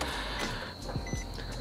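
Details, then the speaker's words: 2007 Nissan Sentra after fuel pump replacement, key turned on with the inspection cover still loose to check for leaks: a brief steady electric whir and faint high hum as the new fuel pump primes normally. "All right, I just heard the fuel pump prime. Great news."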